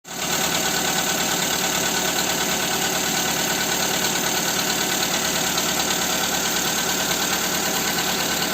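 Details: Skoda Fabia 2 with a 1.4 engine, idling after the camshaft cover with camshafts was replaced: a fast, light tapping about three times a second rides over the engine; the knock remains and its cause is unconfirmed.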